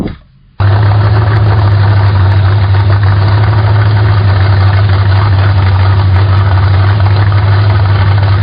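Engine catches after a brief crank and settles into a steady, deep idle at a fairly quick, even beat; idle speed still being set.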